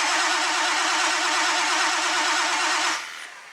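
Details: Old tow truck with oil checked (halfway on dipstick) and fuel delivery being checked, no scan tool on hand: about three seconds of steady, even starter cranking with no catch or firing, then it stops. Cranks but won't start.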